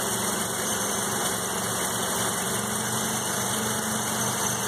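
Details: 1984 Mazda RX-7 12A rotary after sitting 13 years, cold start at 47°F: smooth, unbroken idle with a low even hum, no tapping or stumbling; normal idle.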